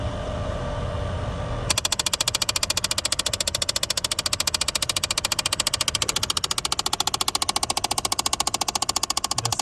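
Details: 2012 Dodge Challenger, under dash: fast, very even clicking about three and a half per second when temperature set toward cold; top temperature blend door actuator skipping, replaced.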